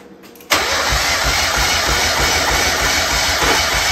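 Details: 1994 Mazda Miata NA 1.8 L, cranking during compression test: the starter spins the engine at a steady, even ~3.5 pulses per second with no missing strokes; readings of about 195–200 psi across cylinders, consistent compression that seems healthy.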